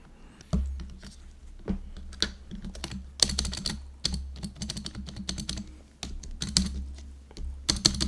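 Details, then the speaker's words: GoPolar TKL keyboard space bar gives a loose, clattery rattle on each press, sharper than other keys, with three different space bars; original stabilizer stems likely factory-damaged and too small. "so that's why no matter which space bar I try like three different ones and they all rattle"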